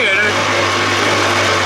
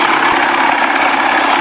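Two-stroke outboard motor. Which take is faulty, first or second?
first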